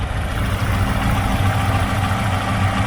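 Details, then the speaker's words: Chevrolet Aveo T250 with LPG fitted, nearly warm, idling on petrol: uneven lumpy idle stumbling about three times a second, no stored errors, smooth on gas; misfire from one cylinder whose injector gets no signal. "так його по потрушує так двигун вже майже прогрітий але ось така у нього робота"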